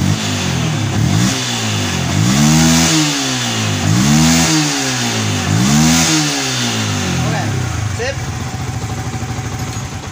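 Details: Yamaha Vixion after repair of hard starting and stalling when throttled (indicator-light fault fixed): engine blipped up and down about three times, then settles to steady idle; normal revving.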